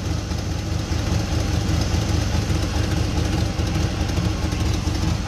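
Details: Holley 750 carburetor on a V8, idle mixture screws at one and three-quarter turns out: deep, slightly lumpy loping idle and smoking exhaust, running rich.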